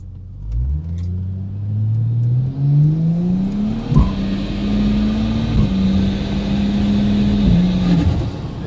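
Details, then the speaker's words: ZF automatic road test after a fresh fluid change to the correct level and a tightened shift tune: engine climbs under full throttle and drops sharply at each quick, firm upshift, first, second, bang, third, bang, fourth; crisp, healthy shifting. "I don't know if you could hear that, guys, but it was first, second, bang, third, bang, fourth. The way a ZF should be."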